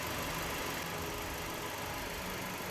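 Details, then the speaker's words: Mercedes C200 W204 with CGI direct injection, after ignition module repair or replacement for a severe misfire (cylinder 4 worst): steady, even idle with no stumbling. All four coils get an activation signal and the engine runs smoothly. "Então você vai verificar aí a medição de sinal de ativação em cada bobina e o motor funcionando sem oscilação conforme o ideal"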